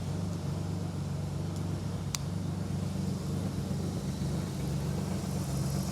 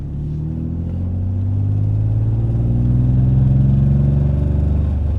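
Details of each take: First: BMW E30 with a swapped S50B30 3.0 L straight-six, first start after a refresh with new spark plugs, coils and fluids: steady, even low hum with no knocks or misses; runs well, normal idle. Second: BMW E30 with S50B30 swap on its first drive after a refresh: six-cylinder pulling through the revs with a light, fast exhaust-leak tick that can sound like a misfire but is not.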